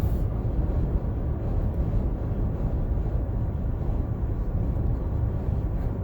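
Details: New 2020 Toyota Highlander Platinum, 2,286 miles, cabin at 65–75 mph: steady low rushing roar from both front windows, worst on the driver's side; bad wind noise, a door or window seal leak suspected.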